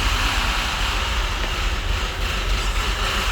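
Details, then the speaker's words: Citroën DS3 1.6 petrol engine idling with a heavy, diesel-like clatter from the camshafts in the head. Revs hunt, with rich-mixture, O2 and cam-phase codes; the engine had been run with no oil and the camshafts show heavy wear. "то есть шум идёт от Ну с головы Да с от распредвалов"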